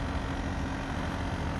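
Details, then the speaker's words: Agratto 9000 BTU inverter air conditioner just switched on for a 24-hour test: low steady hum, no knocks or rattles; normal quiet running. "Então eu vou deixar ele aqui rodando por 24 horas ela pode ver que ele não faz muito barulho"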